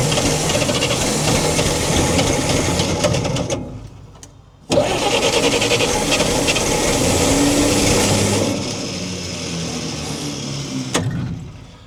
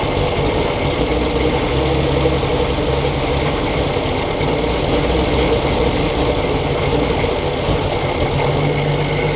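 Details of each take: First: 1942 Chevrolet Blitz CMP 4WD truck, 216 petrol straight-six, gravity-fed carburettor, low fuel: engine catches, runs briefly, sags and dies twice; owner says carby problem, flooding. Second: 1942 Chevrolet Blitz CMP 4WD truck, 216 six-cylinder petrol engine with Carter carburettor on gravity-fed fuel, first start after sitting for years: steady, even idle with a low, regular beat and no clear knock; runs fine after storage.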